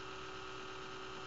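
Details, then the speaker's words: Desktop computer at morning startup: steady low buzz with a fixed tone droning evenly, persisting even when the fan is stopped; noisy 80mm fan later found to be the cause and replaced, ending the buzzing. "i don't know if it's the fan or if it's something else because the fan continues to make that noise regardless if it's spinning or not"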